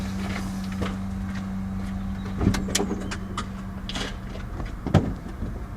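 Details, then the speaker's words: 8-year-old Tesla Model S 85 after replacing the brake vacuum pump, which had been noisy when the brake pedal was pressed; microphone close to the pump under the bonnet exaggerates it: steady low electric hum with handling knocks; virtually silent from inside, issue fixed. "You cannot hear that new pump, and the issue's obviously completely fixed."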